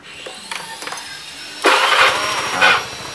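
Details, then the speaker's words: Older Honda Scoopy scooter after adding an extra ground wire to the starter circuit: a few light clicks, then a quick starter whirr, the engine catches at once and settles to idle; starting is now lighter. "daftar lagi jadi lebih enteng Mas Bro"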